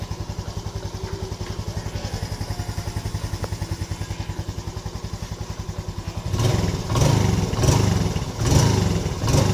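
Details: Yamaha Lagenda 115 FI motorcycle engine, cold, idles with a steady, even putter then a few clean throttle blips after adjustments for a hard-starting, stalling, no-idle problem.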